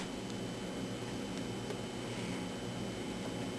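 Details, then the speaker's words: Zenith Trans-Oceanic Royal 3000-1 portable radio, reassembled after repair and run off a bench power supply: a constant buzzy hum with thin high tones comes through the speaker as supply noise couples into the audio. "jesus i can hear the power supply and this thing buzzing through the speaker so much coupling"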